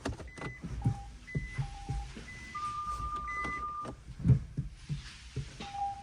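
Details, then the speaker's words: Nissan Leaf ZE1 40 kWh pulling off forward and in reverse: sharp single clicks over dash chimes; not the CV joints but drive-shaft splines clicking in the front hubs, persisting after spray lubricant. "ну это 100% не гранаты это вот в ступицах щёлкает"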